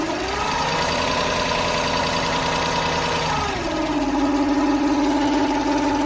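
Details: 1995 Lexus SC400 V8, long-sitting, after a new timing belt, water pump, pulleys, plugs, wires, cap and rotor: idling with a light, fast, uneven tapping from the top end, bank 2; cause unknown.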